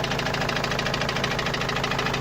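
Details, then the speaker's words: Opel Vivaro / Movano common-rail turbo diesel, also leaking oil, parked for two to three weeks: steady, rapid hammer-like knock over a rough idle; engine knocking, source unknown. "وهذا الصوت ما عم نعرف منين الصراحة، صوت مثل المطرقة يعني."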